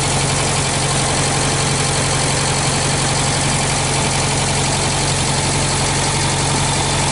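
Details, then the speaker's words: 1965 Australian-built small-window VW Beetle, air-cooled flat-four idling on an old 6-volt battery: even, steady, smooth low chug with no knocks or misses; engine very healthy with only a slight oil drip; normal idle. "Úgyhogy gyerekek, ilyen gyönyörű szépen jár a motor, nagyon egészséges, úgyhogy körülbelül most ennyi volt ez a bemutató."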